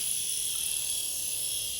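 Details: Small electric motor with prop shaft for 1960s Veron Caribbean Coaster model boat, after three-in-one oil cured squeak: light steady high-pitched whir, no squeal or catching; spinning freely and evenly.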